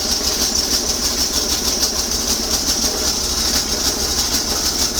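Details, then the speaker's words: Bolens small engine warming up after sitting three weeks, started on low throttle with choke on and an old battery: low, regular chug about three beats a second, even and unbroken; normal warm-up idle. "oh really that's pretty good for sitting for three weeks let her warm up a little bit longer"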